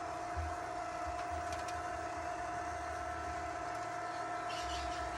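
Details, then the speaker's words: Litter Robot 3 test cycle after clicking fix: steady even motor hum through the whole turn, no clicks or knocks; rotation healthy after fix. "so far so good this is usually where it clicks obviously need to clean out my kitty litter box all right no clicking this is great"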